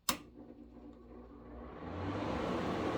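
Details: A PSC fan motor on high speed, wired through a hermetic compressor analyzer: a switch click, then the motor spins up into a rising, steady whirring hum with no scraping or knocking. It starts and runs normally.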